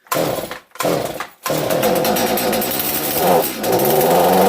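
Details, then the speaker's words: Stihl MS250 chainsaw, first run in 15 years after new fuel and oil lines, primed six times: coughs and cuts out on full choke, then catches and holds a high steady buzz on half choke. "Got the choke on. Ooh. Pump it. Something happened. Try half choke."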